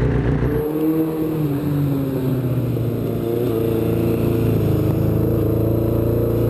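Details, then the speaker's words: 1983 Kawasaki GPZ-550 garage find after carb rebuild and tuning, Kerker exhaust, test ride: smooth four-cylinder drone rising with road speed, no stumbles, pops or rattles; running well. "okay so we got the bike running nicely it sounds fantastic everything's put back together the Kerkar exhaust sounds like a really nice exhaust system on this bike"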